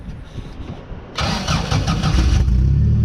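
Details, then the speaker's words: Sand limo cruiser starting after a seized fuel pump was freed with brake clean: about a second of weak cranking, then it catches into an uneven rumble; hard start, with old bad gas still in the system. "there we go this thing's still got that bad gas in it so it's gonna take a little while to run in to get it uh get it cleaned out"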